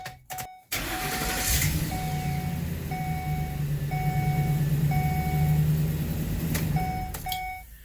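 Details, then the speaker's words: 2011 Ford E250 van after a temporary bent pipe replaced the stolen catalytic converter: starts and settles into a steady even low rumble without rasp; exhaust sealed, much quieter, fixed. "Now that sounds like success. As you can hear, there is a considerable difference and this thing is good to go."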